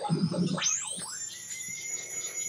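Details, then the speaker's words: Homemade FET-based AM radio tuner, station barely audible: sliding, swooping whistles settle into steady high tones over a faint station murmur; adjusting supply voltage also changes it; whistling on AM reception, cause unknown. "what do i do about all this whistling noises that it's making and this project is pretty much grounded until i can get that sorted out"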